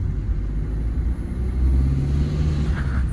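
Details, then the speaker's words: Maruti Swift after gearbox and clutch work fixing 2nd gear complaint, road test: steady low road rumble pulling through the gears, no crunch or grind at changes even when slow; gearbox shifting cleanly. "First gear second gear ஸ்லோவில் engage ஆகணும் போதெல்லாம் வந்து பார்த்தீங்கன்னா complaint கிடையாது."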